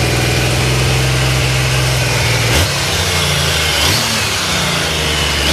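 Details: Triumph Sprint 900 motorcycle engine (for sale as a bike), starts on the first press of the starter: even idle with a deep regular exhaust beat and a couple of light blips; runs clean, normal.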